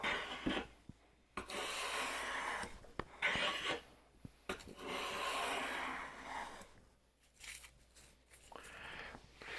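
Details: WoodRiver #6 hand plane, blade about 0.122 in thick versus the Stanley's 0.078 in, making long, even shushing strokes across the board with no stuttering or skipping; thicker blade cuts cleanly without chatter.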